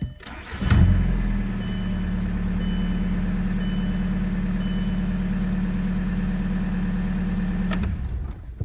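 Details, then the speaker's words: TDI diesel just after installing an electric lift pump with relay: short crank, catches almost immediately and settles into a steady, even diesel idle with no stumble; starts pretty quick, idle sounds good. "seem to start pretty quick starting this idling sounds good"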